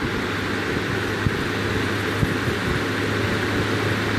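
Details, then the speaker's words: Serviced vintage 15-inch Lasko floor fan with a loose blade hub and retweaked blades, running at 117 V on high, then low: steady hum and even air rush with minimal vibration. "117 that's on the high-speed still minimum shake let's turn it down to low still very little vibration puts out a good volume of here"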